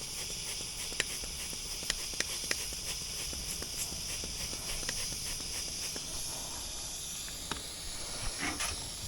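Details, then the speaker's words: Outdoor AC line set that loses insulation in places, with a pinhole in a rubbed, pitted section low down, gas visibly blowing out: a steady high hiss under faint footsteps. This is a refrigerant leak. "Well, let's try to find this leak and then we'll go from there. I found it."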